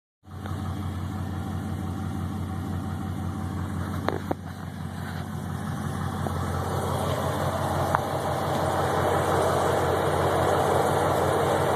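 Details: Chevrolet TrailBlazer SS V8; engine starts and settles to idle with steady hollow knocking, about three per second, over the V8 rumble: piston slap.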